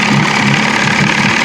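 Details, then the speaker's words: Outboard motor on a restored 1970s 16-foot Smokercraft fishing boat, run after a rebuild with the water pump working: a steady, even idle with a regular low pulse and no knocks or misses. It runs smoothly while warming up. "Sounds like it's running pretty smooth. I'm gonna let this thing sit here and run for a little while."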